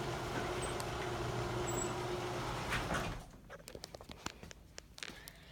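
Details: Liftmaster screw drive garage door opener: steady even motor hum for about three seconds, then stops with a few light clicks; runs smoothly, normal operation.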